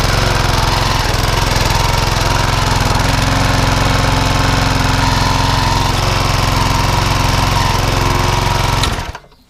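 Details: Walk-behind mower after a tight cable and belt were slackened: steady, even petrol chug at constant speed with no misfire or labouring until shut-off. It runs cleanly and the cable problem is identified but not fully fixed.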